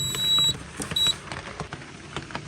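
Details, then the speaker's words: Cyton CB1 conventional fire alarm panel beeping with a high, thin repeating electronic tone after a Menvir call point test and reset, over clicks and handling noise; the panel is flagging an unresolved earth fault. "I'm just gonna reset this real quick. And yes, the panel will beep like this."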